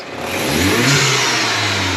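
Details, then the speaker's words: Mini Cooper JCW track build, first rev after fitting an AIRTEC open air intake: the engine blips and the rising drone carries a loud airy whoosh, like a dump valve; normal induction noise. "we just gave it a wee rev and it sounds wild. You can literally hear it's like a dump valve."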